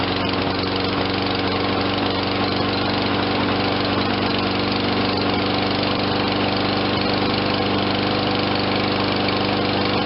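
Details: Toro 22-inch Recycler self-propelled mower, 163 cc 7.25 hp, low hours, no-start after sitting; after fresh fuel and carburetor cleaning: runs at steady governed speed, even beat, no misses; normal running.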